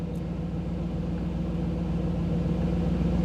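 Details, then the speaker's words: 1985 Camaro IROC-Z TPI with new engine build, after exiting the scan tool data stream: idle drops from about 975 to around 750 rpm, steady even low rumble with no knocks or misses; normal warm idle. "ved me a lot of trouble so you could hear the difference in the idle what that is is when I dropped out of when the when I went out of the tools um display when it's not getting the data stream then the idle drops back down"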